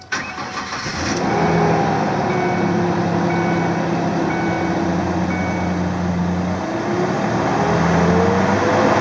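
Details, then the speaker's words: 2001 Mazda B3000 pickup, worn fan clutch stays engaged so the fan turns at engine rpm: starts and idles with a constant loud whooshing fan roar tied to engine speed; fan clutch stuck engaged, to be replaced. "what's happening is the clutch wore out and now it just stays engaged so the fan is running at the same rpm as the engine"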